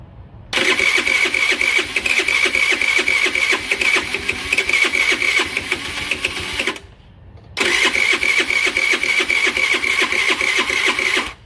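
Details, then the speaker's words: Scooter with newly installed carburetor, solid spark confirmed: two bursts of quick, even cranking about four beats a second, catching briefly but never running; it almost starts, cause unconfirmed. "let's keep trying to start it here oo it wants to go it almost"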